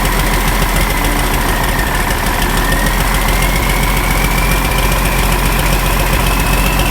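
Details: Ford 5000 tractor with a swapped-in Ford Brazilian 7.8 six-cylinder turbo diesel, second run after its first fire-up, long-sat engine burning off water vapor: steady even diesel clatter, faint turbo whistle slowly rising, no misses; healthy idle.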